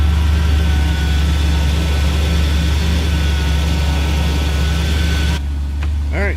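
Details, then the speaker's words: 1993 Ford Ranger XLT 4.0 V6 with Flowmaster mufflers, idling just after a fuel filter replacement: a deep, steady exhaust rumble, smooth and regular with no ticks, misses or hesitation. It is running well. "should be she sounds like she's going like a top that's really good"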